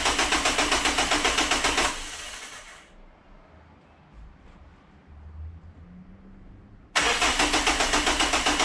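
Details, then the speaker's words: Renault Megane 2 1.5 dCi diesel with power loss and loud noise (turbo suspected, boost hose failed), first start after oil change to fill oil filter, low fuel: starter cranks in even pulses about four a second, pauses, cranks again; normal start sequence. "j'écoutais la batterie bon premier démarrage des chèques"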